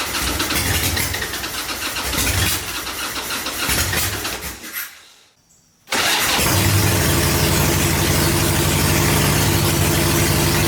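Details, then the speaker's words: 1985 Harley-Davidson Ironhead Sportster, recently bought, starting after battery charging; a few weak cranking pulses, then it catches and settles into a steady lumpy beat about four per second, healthy start and idle. "yeah he runs man that's a good feeling to hear that noise"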